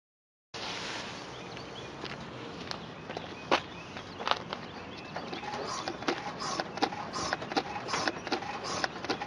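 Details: Suspension clicking on a 2003 Chevy Impala 3.4 L: sharp, uneven clicks and creaks from the suspension or steering; owner doubts but is unsure whether the intermediate shaft is the cause, so the cause remains unknown.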